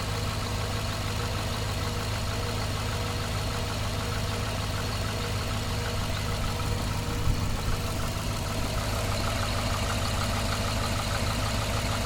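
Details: Cadillac after heavy rain, misfire codes for cylinders 1 and 7 plus random misfire, before coil change: low uneven stumbling idle with occasional dropped pulses; misfiring at idle, cause undetermined.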